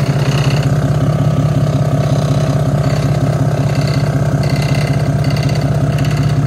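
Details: Nissan R34 Skyline RB25DET just after cam seal replacement and reassembly: smooth, steady, even idle with a regular exhaust pulse and no knocks or misses. It started right up; one component vibrates.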